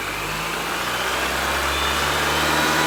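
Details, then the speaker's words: R53 Mini Cooper S running after replacing rod bearings and rod bolts for a spun bearing: steady revs settling to idle, no knock under the whine. The bottom end sounds healthy and the rod knock is cured. "all right so it runs it doesn't knock it sounds pretty good"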